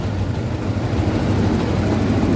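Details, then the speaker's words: Yamaha Jupiter MX single-cylinder with key off: keeps chugging at a steady idle; run-on caused by a miswired cable connected to the fan temperature sensor circuit feeding the ignition. "Okay, try turning off the ignition. Off. The ignition is already off. But the engine is still running."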